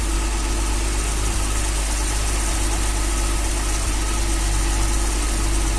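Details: 1966 Dodge A100 van, 225 slant six, cold start after a long sit, running on a jumper wire bypassing the factory coil feed: steady, even low idle rumble with no misses or surging. Normal idle; accelerator pump suspected dry.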